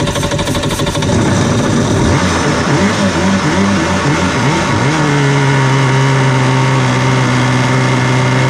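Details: Cheap used Yamaha WaveRunner two-stroke on new mixed gas, after the fuel valve was switched from off to on: catches after about two seconds, settles into a steady, even burble with no misses; running cleanly at idle.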